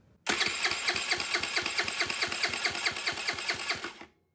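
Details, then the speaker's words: GY6 139QMB Honda Ruckus clone after a 100cc big bore kit rebuild, compression tester fitted, starter powered directly: even cranking at about eight pulses a second with no weak strokes. Healthy compression, a little over 150. "now we're gonna check our compression so all we're gonna do is hook up power to the starter with the compression tester on"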